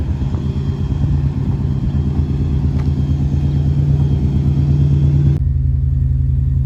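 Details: 2001 Subaru Impreza RS after a new engine was installed to fix rod knock: deep, steady engine note with an even rhythm and no knock or tapping, a healthy-sounding engine.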